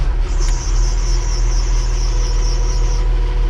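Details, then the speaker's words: Diesel loader started at about 63°F; cranks over easily and settles into a steady, even low rumble with a faint high whine; starts easily and sounds healthy. "it doesn't take much to crank it over 63 degrees"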